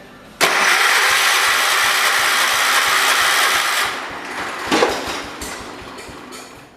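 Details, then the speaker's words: John Deere 212 garden tractor with a leak: engine catches on choke with a ragged roar for about three seconds, then stumbles and dies after unchoking; sputtering start attempt, cause unknown. "Oh, she's trying. Let me unchoke it. Now it is unchoked. Okay, something ain't right."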